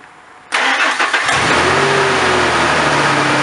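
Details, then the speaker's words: 1997–2007 Ford F-150 4.2 V6 cold start right after fan clutch installation: quick crank catches within a second, steady even fast idle with no knocks or squeals; healthy. "I'm going to go do a cold start and uh see what this thing does"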